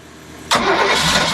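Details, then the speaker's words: Crusader 454 port marine engine cranks with steady whirring but won't start; new Carter mechanical fuel pump had a manufacturer defect, actuator arm too short so the rod didn't push it enough, giving no suction and no fuel delivery. "But there is a manufacturer error with those Carter fuel pumps, and they know about it, and we're actually getting a refund, where it just was, the actuator arm was not long enough, so the rod was not pushing it enough, so there was no suction"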